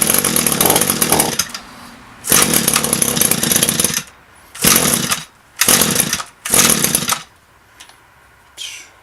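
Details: Echo SRM-225 string trimmer, about a thousand commercial hours, with aftermarket knock-off carburetor, cold engine on half choke: short high-pitched buzzing bursts with quiet gaps between; running on half choke.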